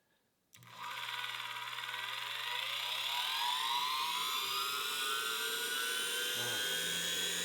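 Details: Lathe after a wire was soldered directly to the terminal: spindle spins up quickly to a clean, steady high whine with no rattle or catch; normal running.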